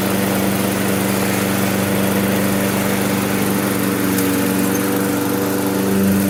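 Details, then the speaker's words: Toro self-propelled mower with Briggs & Stratton 6.75 auto-choke engine that wouldn't restart when warm, after new spark plug, carburettor clean and fresh gas: first pull, even steady single-cylinder drone with no misses or surging; running healthy. "it's cranking up first pull see what it does as the engine heats"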